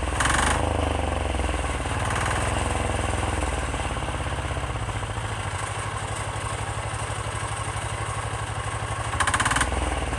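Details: 10 hp Chinese Yanmar-clone single-cylinder diesel on a frame, first start, smoky, on a semi-truck battery: steady, even thumping about four beats a second, no misses or knocks, rear fenders vibrating; normal idle.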